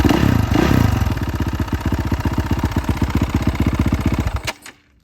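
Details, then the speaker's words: 2018 Honda CRF450R: steady idle that runs fine, then a hard regular knock about four per second on every firing pulse until shutdown; owner doubts the crank, suspects maybe clutch cover area, engine to be torn down. Intermittent engine knock. "Once it's cleaned up and we get this weird engine knock issue, it's definitely, I don't think it's the crank. As you can hear, it'll run great like this, and then it'll start."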